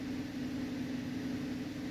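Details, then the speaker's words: 2011 Cadillac CTS in for a misfire and oil pressure sensor code P0523: idling after clearing codes, long-term fuel trims improved from -32 to -8 bank one and -14 bank two, oil pressure around 35 psi (normal), with a steady even hum and no misfire; normal idle. "I don't feel a single misfire guys running absolutely smooth right now and you see the oil pressure PSI has come down around 35 which is normal and that's what I was expecting to see"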